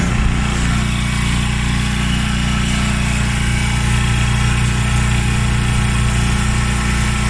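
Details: Top-load washing machine after replacing the broken motor coupling: steady low motor hum with an even, smooth drone and no grinding or knocking; drive running normally after repair.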